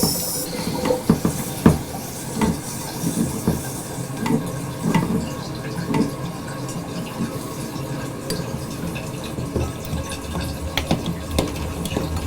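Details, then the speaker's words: Toilet fill valve refilling after installing a water hammer arrestor: water runs in with only light clinks and no bang at shutoff; water hammer gone. "much better well no more banging"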